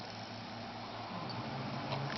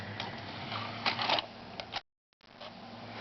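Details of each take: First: Xbox 360 disc drive after fixing laser grinding, with a paper spacer added under the re-glued magnet: soft steady whir while spinning and reading a game disc, no scraping or grinding. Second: Xbox 360 optical drive, after the disc-clamp magnet was glued back in: low drive hum broken by harsh scraping bursts as the laser lens hits the spinning disc; movies play but games don't; fixed with a paper spacer under the magnet.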